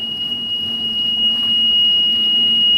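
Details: Sea-Doo RXT personal watercraft on water test, oil level checked full and pressure verified correct with a gauge; owner suspects the sensor: steady high-pitched warning tone over a faint engine; oil pressure warning buzzer, cause unconfirmed.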